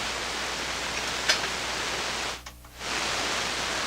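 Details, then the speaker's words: SP-600 communications receiver with rebuilt RF deck just installed, first power-up at reduced 92 V supply: constant, even hiss with a brief dip and no stations; seems to work but no signals received. "It's very hissy. Well, it seems like it's working. Maybe there's no signals. Wow, that's really no signal."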